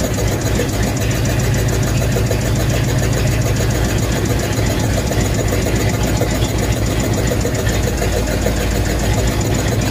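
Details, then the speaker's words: Ford/Mercury flathead V8 just revived: steady low idle with faint rhythmic huffing and uneven beat, misfire from two stuck valves, which freed up after lubricant was put in the cylinders. "okay well we had a viewer comment on the fact that it sounded like one of the valves was stuck and so you could hear the huffing almost uh on the one video"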